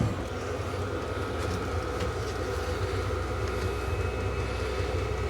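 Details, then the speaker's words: Cheap diesel heater installed in a workshop, starting up with the pump ticking in full mode and output accelerating. An even, steady whirr over a low hum with no knocks or rattles as the fan runs up. Normal diesel heater start-up. "so that is the pump now in the full mode the pump is still working I can hear that ticking over and now we're starting to get output starting to accelerate up again"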